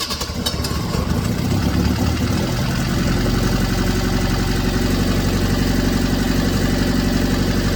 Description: Alfa romeo 105 1600nord motor installed in project car. testing and running through the rev range to check gor oil.pressure leaks etc